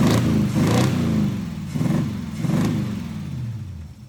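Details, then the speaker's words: Small-block Chevy V8 in an El Camino with hydraulic lifters, valves set, idle screws adjusted, timing backed to about 5–6 degrees: three or four clean rev blips dropping back with no popping or backfire, revving freely, much better. "go no more backfire way better"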